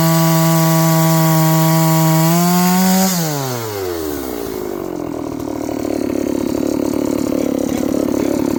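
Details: John Deere CS81 chainsaw that was leaking excess fuel, cutting wood: high steady buzz drops in pitch as the chain bites, then holds a rough cutting note; carburetor not bad, burning black off; normal running under load.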